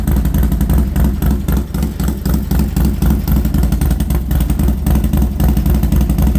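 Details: Harley Sportster first start after fitting new aftermarket exhaust: deep, loud V-twin lope with uneven potato rhythm and crisp throttle blips, no knocks or rattles; normal start-up and revving.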